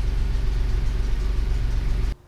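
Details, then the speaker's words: 1988 Toyota 4Runner 3VZ-E 3.0 V6 after the high-idle fault was traced to the idle air control valve and the idle screw was adjusted: smooth, even low rumble at steady ~800 rpm idle with no hunting, then cuts off; normal idle. "that right there is around 800 rpm which is what the manual says should be the standard idle see right there it's sitting right there 800"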